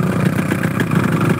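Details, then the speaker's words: Yamaha RX two-stroke motorcycle, throttle cracked slightly: rough, uneven, lumpy beat with stumbling pulses; incomplete combustion blamed on fuel or ignition, mechanic says too much fuel (rich mixture); piston and connecting-rod noises also noted. "tidak sempurna itu bisa dari bahan bakarnya bisa dari pengapiannya suaranya kasar coy"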